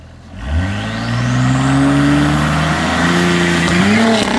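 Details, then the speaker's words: Audi SQ5 on drag radials during a quarter-mile pass: engine climbs hard through the gear, then stumbles and wavers near the top, a fuel cut/misfire from bad spark plugs. "Now, if you heard that fuel cut, turns out that Nick actually had bad spark plugs and was running in them all day, which is very unfortunate."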